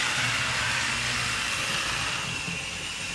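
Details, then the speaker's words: Old small electric model motor after armature and commutator cleaning: steady, even high-pitched whine with a light rattly, diesel-like rumble and no surging; runs smoothly, slight wheel wobble. "it runs nice I mean you can make a CR it sounds a little noisy you can hear just like sounds like a diesel actually"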